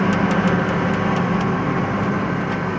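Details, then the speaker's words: 40-year-old John Deere 862 diesel scraper under way: second and third gear don't sound too bad; fourth gear gives an even hum with no grinding or whine, gearbox sounds healthy, unlike the noisy fifth gear. "Second gear and third gear don't sound too bad. Fourth gear sounds good, too."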